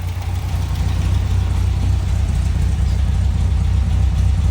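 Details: 1960 MG MGA 1600 idling after a coolant system flush, with idle brought down and the thermostat opening (won't exceed 160 degrees): a low, steady idle pulsing about four times a second with no knocks or ticks; healthy.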